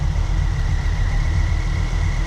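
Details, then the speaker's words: Ford Focus ST barn find just after its first start following fuel priming, with compression on all cylinders. The idle is lumpy, stumbling every few pulses. The misfire is suspected to be bad old fuel in the injector rail (no return system) and starts clearing. "That could be just fuel. Yeah. Okay. Bad fuel in the injector rail. Because it doesn't have a return system for the fuel."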